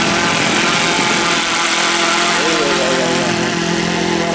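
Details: OS Max FS120 four-stroke model engine, which earlier had no compression from a blocked exhaust valve, running with its propeller. A high, buzzy note holds steady at speed with even firing and no misses; running cleanly.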